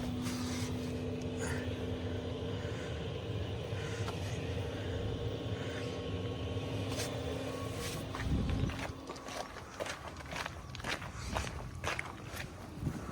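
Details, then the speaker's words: Diesel heater newly installed under driver's seat of 2017+ VW Crafter/MAN TGE, fed from main fuel tank, after first burn warms up: steady even hum, constant low tone, no knocking or rattles; working normally. "Oh, lovely. And that's it. She's working."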